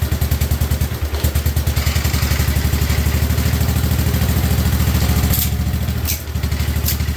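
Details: 1958 Wisconsin AENLD single-cylinder engine salvaged from a street sweeper, revived and running on a fuel bottle with muffler fitted after flooding and choking: steady, even firm low thump with no misses or knocks, running smooth and healthy.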